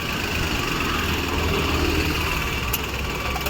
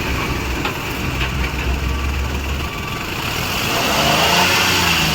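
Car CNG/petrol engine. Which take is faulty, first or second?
first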